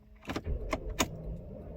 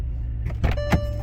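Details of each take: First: Non-running salvage 2006 Bentley Continental Flying Spur, start attempt on a cold day: only a few slow, labored starter turns, heavy thumps about a third of a second apart; weak cranking before it later starts. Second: Salvage 2006 Bentley Flying Spur, sitting stationary, first start on a weak, cold-day crank: engine catches and settles into a low, steady hum with a few light clicks; smooth, even idle, runs well.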